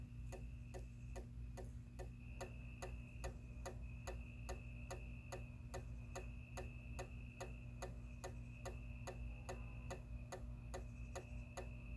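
A steady, even clicking, just under one click a second, over a low hum. The relay keeps chattering instead of latching the light on.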